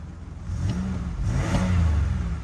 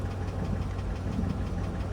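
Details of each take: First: Oh yeah, guys, it just sounds like the 3.8 to the 3800 series. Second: Chevrolet 5.3 V8 at idle, partly warmed: a faint, regular light tapping over the rumble. Described as a light knock, possibly piston slap; the engine was also noted to clatter on cold start and may burn oil.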